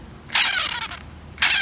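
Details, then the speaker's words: 2006 Jeep Grand Cherokee Laredo, old serpentine belt tensioner removed and spun by hand twice: loud gritty whir dropping in pitch as the pulley coasts down, worn bearing; replaced with a new assembly. "Old serpentine belt tensioner. Wow, check this out. See how loud this is."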